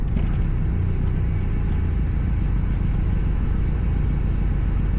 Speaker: okay so it's holding 500 RPM with the valve all the way open it is also extremely rich